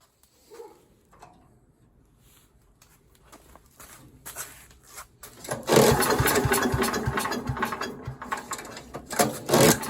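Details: Troy-Bilt chipper/vac with a 5 hp small engine that sat for years, after fuel line replacement and carb service. After some handling clatter it catches about halfway and keeps running with a steady buzzing beat; healthy normal running.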